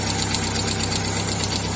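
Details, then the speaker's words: VW Fox 1.0 petrol engine idling with a quick, even metallic tick of about eight per second: hydraulic lifter tapping. "Seu carro está com esse barulho aí também barulho de tucho batendo já trocou e não resolveu"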